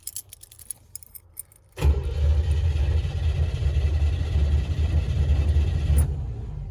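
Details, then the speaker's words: 1955 Chevrolet / Canadian Pontiac after rewiring, MSD ignition, fuel present: starter turns the engine steadily about four seconds without firing; no spark because the distributor ground wire was not connected. "it's got fuel i can smell it it sounds like magnetic spark what the f no at least it turns over"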